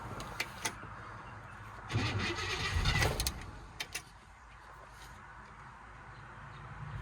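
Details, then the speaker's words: 1957 Chevy Bel Air 2-door hardtop, sitting 15+ years: after old gas drained, new battery, fuel filter, new solenoid, Seafoam and high-octane fuel, the starter churns briefly and the engine turns over but never fires; crank, no start. "Try that one more time. Oh, nothing."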